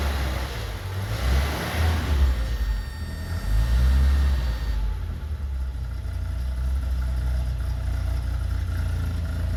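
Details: 1982 BMW 320i warming up after fuel system rework: revs rise unevenly under throttle, then sag and hunt as if wanting to die; stumbling, near-stalling running, cause not pinned down.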